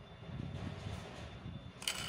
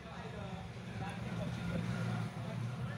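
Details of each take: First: Air-cooler submersible water pump after reassembly, tested before refitting the cover: low, even hum with no scraping or rattle, blades spinning freely like a new motor; normal pump running. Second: Old submersible water pump from an air cooler's base, tested on the bench through a series connection: only a low dull hum and slight vibration, no water lift, unlike a new pump; the motor is powered but the impeller is seized.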